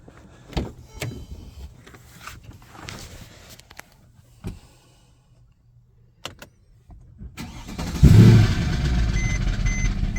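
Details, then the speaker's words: 2010 Mercedes E63 AMG, 6.2L M156 V8, start after sitting 30–40 minutes with oil drained down: brief hard knocking rattle until oil pressure builds, then quiet; worn camshaft adjusters whose locking pin fails. "Oh, there you go. Thing is knocking like a door-to-door Bible salesman. But here's the thing. Once it's running and oil pressure is built up, quiet as a mouse, runs perfect."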